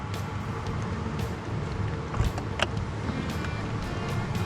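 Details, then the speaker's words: Diesel heater in a 4Wheel camper on a Toyota Tacoma running quietly, like a hair dryer on low: soft steady airy hum with faint light pump ticks, nothing rough or uneven; normal running. "you can hear it but it's really quiet I mean it it almost sounds like a hair dryer on"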